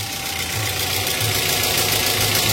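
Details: Car idling briefly with the fan belt removed, so the battery light stays on: a steady, smooth idle hum with no squeal, whirr or rattle from the front of the engine; normal.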